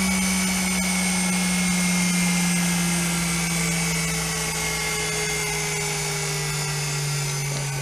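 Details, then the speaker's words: 24 V DC treadmill motor with speed control circuit, intended for a Simat 101 lathe, slowed from high speed (8.8 mph display): steady whine sliding gently lower, no rubbing or clicking; normal run-down. "so let's stop slow that down it's going to slow down"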